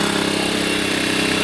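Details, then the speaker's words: Sportsman 1000 W surge / 800 W inverter generator on first start, tested indoors: a steady, even pulsing note at constant low idle with no hunting or misses, picking up a little when economy mode is turned off. Runs smoothly. "now of course it tells you not to run it indoors but for testing purposes here I don't have a problem with doing that we're going to turn the economy off you can hear it pick up a little bit"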